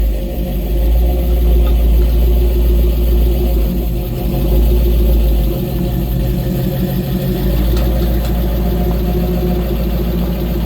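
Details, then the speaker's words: 1955 GMC 100 pickup, first start on a freshly rebuilt 327 V8, building oil pressure before break-in: deep, even rumble at fast idle with a steady low beat, no knocks or misses; normal running. "come on she's building oil pressure yes yes oh my god it sounds good"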